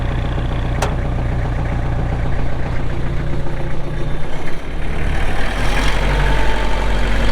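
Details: 2004 Kubota M6800 4WD tractor, pre-emissions diesel with 1,181 hours: a deep, even diesel rumble with a steady low beat and no knocks or rattles. A healthy, normal idle.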